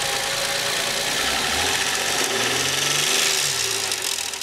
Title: car engine rattling - What's this Noise?